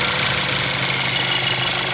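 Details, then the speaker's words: VW Jetta MK6 2.0T TSI, which had trouble starting or staying running (worse in cold), at its first start after a high-pressure fuel pump replacement: steady, even idle with light fuel-system ticking, no misses or popping; no leaks found. "If it starts up, we're good. That's normal because there was, no fuel in there. But I think that's good."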